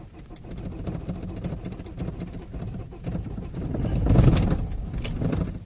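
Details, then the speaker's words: Opel Zafira 2.0 TDI diesel on a cold start after sitting all day. It catches and runs unevenly, surging and sagging, and can't hold idle unless the accelerator is pressed. Cause not yet found. "Voilà, tu vois, donc là, premier fail parce que elle est froide. Elle tient pas vraiment le ralenti."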